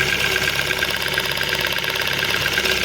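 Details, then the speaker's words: 2000 Ford Focus 1 1.6 petrol that misfired on one cylinder and lost power under throttle. After a new ignition coil was fitted (loosely, not yet screwed down), it idles evenly with crisp spark snaps and fires on every cylinder: normal idle. "І що ми чуємо Ми чуємо що двигун працює барзо добре як кажуть поляки дуже добре так"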